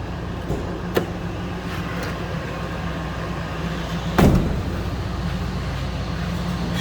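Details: 2000 Ford F-250 XLT Super Cab 4x4 with 5.4 liter Triton V8, no check engine light, heard from the back of the truck: smooth steady low rumble, no knocks or misses, few handling clunks; healthy idle.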